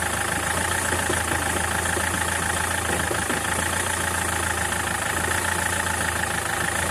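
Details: SsangYong Kyron diesel idling: a dull, irregular knock under the clatter, roughly every couple of seconds, pointing to a worn dual-mass flywheel due for replacement.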